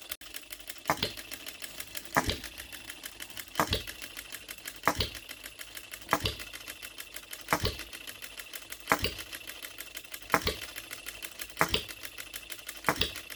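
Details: Brand-new OKMO Retrol B02 miniature petrol hit-and-miss engine on its first start, straight out of the box with no adjustments, running on shellite: sharp firing pops roughly every 1.25 seconds, coasting lightly between them. Normal hit-and-miss running.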